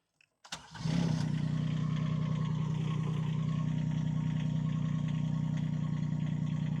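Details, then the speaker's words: IRE20 Chinese mini excavator after draining overfilled hydraulic fluid (about 400 cc) to correct sight-glass level: diesel catches within a second, steady even low drone with no straining or whine; smoother than when overfilled; normal hydraulic operation. "Oh, that was nice and smooth. Oh, that sounded better. A lot better, too."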